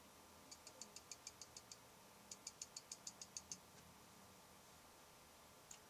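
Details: Fuji X-Pro1 in a low-light recording studio, 3 feet from a sound pressure meter that doesn't register: faint quick high-pitched clicks in bursts of about eight, roughly three per second. Lens aperture chatter.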